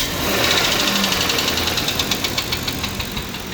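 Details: Engine knock when revved, engine warmed up: a revving engine with a sharp, uneven metallic ticking at roughly three per second riding on top; it fluctuates a lot and has since first start.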